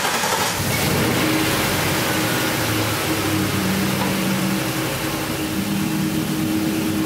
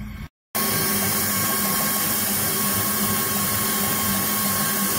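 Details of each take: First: Ford F-250 idling after the leaking hose was temporarily patched, cleaned with carb cleaner and taped. The idle is now steady and quiet with a soft low hum. The earlier hiss and the coil spark clicking are both gone, giving a normal idle. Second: Ford F-250 with the hood open, idling. Customer reports heavy misfiring. A steady airy hiss like a pressure cooker and a faint high whistle sit over the even idle, pointing to a vacuum or air leak under the hood. A spark-like clicking is also noted near cylinders 5–8.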